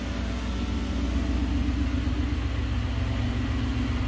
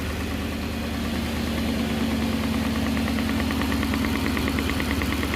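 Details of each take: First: 1969 Gloria supercharged V8, first proper start, running with a blank-off in place of a catch can; deep, even idle with a steady low rumble and no knocks or ticks; engine sounds healthy. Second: 1969 Gloria supercharged V8, first proper start: steady idle with a regular knock about twice a second; sounds like a blown rod bearing but is the cam cover baffle slapping.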